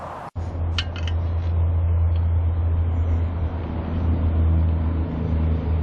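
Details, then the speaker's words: Moon Cool TK1 folding e-trike riding on pedal assist 1 with a steady motor hum and road noise; the rear fender rattle is gone after its loose screws were tightened. "there go 53.6 pedal assist one we brakes are off it's gone"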